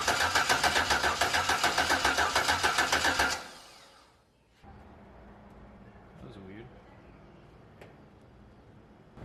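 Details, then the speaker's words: Turbocharged car engine after a suspected failure at 23 psi, plugs in, rockers off: even starter cranking to pump up lifters, about three and a half pulses a second, no clunking; normal cranking. "i just want to roll it over enough to hopefully pump up the lifters and if anything makes a weird sound hopefully i'll hear it so let's roll it over and see what happens"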